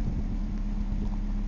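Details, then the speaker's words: 1998 Ford Escort ZX2 Sport parts car, about 120,000 miles, no coolant system, bypass fuel feed, no smoke, owner notes slight valve tapping; low steady idle with even beat, no misses or knocks: normal idle. "it's running beautiful of course it's only got like 120,000 miles on the engine"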